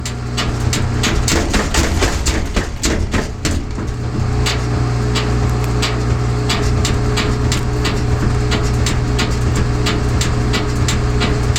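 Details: GE front-load washer on its spin cycle with medium or large loads: heavy, regular thumps over a low drum hum as something inside hits the cabinet; the cause is unknown, suspected to be the unbalanced tub knocking.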